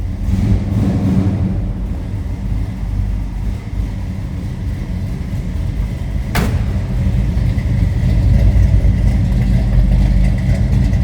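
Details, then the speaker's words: 1969 Pontiac GTO hardtop Judge tribute with built 428 XF-code V8, idling after warm-up from a cold-blooded start: deep, steady rumble, even firing, no knocks or misses; sounds healthy. "Told you it sounds healthy. There's a little rumble."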